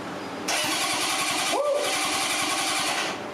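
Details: 1978 Honda CB750K barn find, sat many years, first start attempt after tank restoration and reassembly: the starter whirs with a quick, even chug for about three seconds but never fires; cranks with no start.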